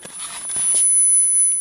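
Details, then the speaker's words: 1984 Infinity RS 6/B speaker with missing woofer foam surround, tested with a roughly 10 kHz tone: clean steady high-pitched tone from the tweeter only, no crackle or buzz; tweeter works fine. "And you can hear that should be screeching away in your speakers if they can play high enough. That's the tweeter."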